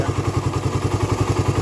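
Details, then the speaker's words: Raider 150 carb, hot idle after a long ride: sharp light clatter at roughly eleven taps a second over the engine thump, ticking from the head, absent when cold; owner suspects compression release or tensioner, cause unconfirmed. "Ayan ganyan na siya lumalagitik na siya ng ganyan pero pagka malamig Wala naman"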